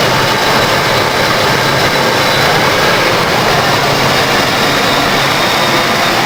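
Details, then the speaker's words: 1992 Ford Crown Victoria ex-police car, stock 4.6L V8, mileage unknown, idle recorded under the hood after a cold start following a week of sitting. Steady, even hum and hiss with no knocks or ticks; healthy. "let's go ahead and take a look underneath the hood she sounds good 4.6 L V8"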